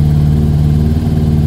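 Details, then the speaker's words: Yamaha Thunderace YZF1000 (1000cc) idling steadily with no misses as it warms. It sounds much better after the fuel tank was loosened, because kinked fuel lines under the tank had been restricting fuel flow. "yeah it sounds much better so yeah when you put a tank back now make sure you're not squashing or kinking any of the fuel lines"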